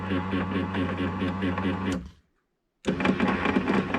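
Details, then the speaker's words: Ford Thunderbird driver's side power window, stuck after being lowered in about -20° cold: the motor whirs with a rattly chatter but the window won't move up or down. Sounds like stripped gears. "so the window doesn't work going up or down so the motor it does work you can hear it turning it just sounds like the gears are stripped or something like that"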